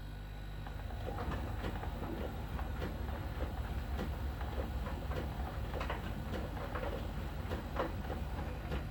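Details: Miele dryer during drying: soft, irregular ticks over a low, steady drum rumble. A small ball sensor rolls over the drum and ticks when it touches a contact spot on the drum's outer surface; this is normal sensor ticking, nothing faulty.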